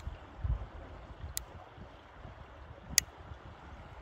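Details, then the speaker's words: Bicycle seatpost flexing gives sharp isolated ticks and crackles over wind noise. Cause is dirt and dust between the seatpost and the frame. "bu ses Bu sese benziyor arkadaşlar çıtırtı sesi Tıkırtı sesi bu"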